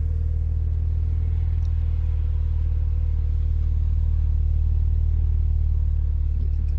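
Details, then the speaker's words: BMW Z4 35i (N54 engine, as in 335i) at idle after cleaning the VANOS actuators and an oil change, previously rough idle and reduced power: even smooth low hum, steady and flat, no stumble or misfire. "that sound that was before took it for a quick Drive idle is nice too steady and flat"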